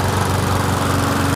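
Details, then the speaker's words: Murray 20-inch mower with 4.75 HP Briggs & Stratton, suspected hydrolocked from overfilled oil, now restarted and burning off the oil: fast, even single-cylinder putter at steady speed, no misses, no excessive vibration; normal running. "I don't feel anything too excessive as far as vibration goes."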